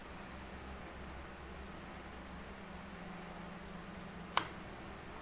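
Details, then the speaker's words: Dead Votre Chinese CRT TV with the power switch on as it is plugged in: near silence, one sharp spark snap at the plug and a thin, steady high whine inside the set, yet it does not turn on. "terdengar suara percikan dan televisi nggak hidup sama sekali. Ada bunyi denging di dalam televisi."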